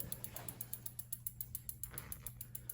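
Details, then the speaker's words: 2001 Specialized Rockhopper mountain bike after disc brake rotor adjustment: even, steady freehub ticking as the wheel coasts down, no scraping or rubbing from the disc; wheel spins freely without drag. "Not hearing any dragging."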